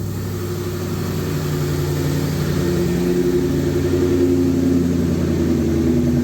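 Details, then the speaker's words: 2004 Mustang Cobra, Eaton M112 supercharged V8 just revived on a startup tune with ECU reset: smooth, even idle with a low rumble and faint supercharger whine, sitting a bit high while warming up and learning fuel trims. "The idle's a little bit high, but I mean, we are just on a startup tune, and I basically reset the computer, so it's got to learn the fuel trims a little bit."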